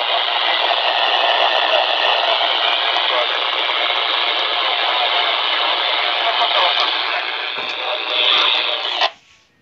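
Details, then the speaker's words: Amateur radio receiver in a rural area scanning for signals: constant hiss and crackle with no clear signal, cutting off sharply at the end; owner believes the static comes from a poor, non-ideal antenna. "creio que assim esse ruído tudo é porque por conta da antena que não é boa não é a ideal"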